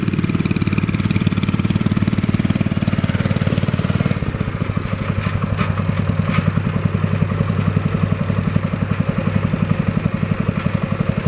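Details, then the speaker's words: 1964 Wheel Horse 704 with a Kohler single-cylinder engine, after the rod knock was fixed (crank still 0.002 in out of round): steady, even idle thump with no rod knock. Lifters tap and the belt flaps against the guard, which is normal. "it okay that sounds good there don't hear any rod noise now i can hear the lifters tapping and i can hear the belt flapping against the belt guard that sounds like normal"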